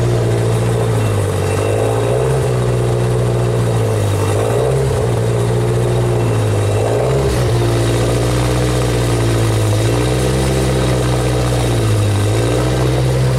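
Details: 1992 Genie boom lift with a faulty throttle controller, test light used as a substitute load. Engine speed rises and sags in a slow, regular cycle every two to three seconds without settling: engine hunting.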